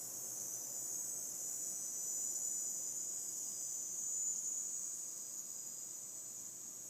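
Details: Seasonic M12II 750W power supply, under three weeks old: faint steady high-pitched hiss appearing randomly at PC startup since about one week of use; cause unknown.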